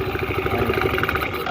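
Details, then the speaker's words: Fairly new scooter CVT before repair: uneven rattling chatter from belt drive; pulley washer installed backwards by previous mechanic. "So ano ba nagiging problema pag ganong kaingay mga kaworski?"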